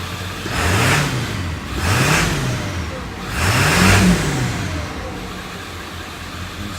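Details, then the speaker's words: 1999 Ford F-350 diesel after new belt installed: three even revs rise and fall smoothly with no chirp or squeal from the belt; healthy, no more squealing, ready for the road. "No more squealing. She's ready for the road."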